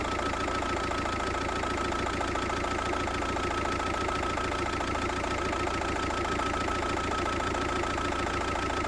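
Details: VW Passat 1.9 PD TDI diesel at idle: clatter with a slightly uneven, hunting beat, idle speed not holding steady, rough idle of unknown cause.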